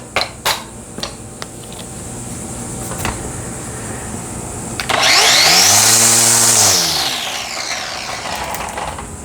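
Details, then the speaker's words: Black+Decker string trimmer after replacing gear and spindle to cure a grinding bearing and wobble: spins up to a clean high whir, holds and winds down smoothly with no grinding or rattle. Normal running. "No more grindy bearings, no more wobble. Easy fix."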